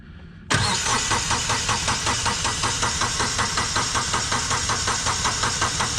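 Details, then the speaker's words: Kubota B2601 tractor diesel cranked with the fuel shutoff solenoid unplugged after an oil change: steady starter cranking with even compression pulses, about two and a half per second, never firing, to build oil pressure and fill the filter. "This lets you crank the engine over so when it starts you can build oil pressure and fill that oil filter."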